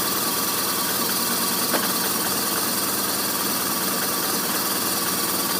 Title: R1200RT Rough Idle part 2